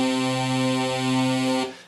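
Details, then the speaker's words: Held chord from a 35-year-old Sequential Circuits Prophet 5 analogue synth after oscillator repair for random out-of-tune notes; oscillators A and B stay in tune with no beating or drifting apart after an hour of running. "sounds really really good for an analogue synthesizer that's 35 years old those oscillators are staying in tune they're staying together and not drifting"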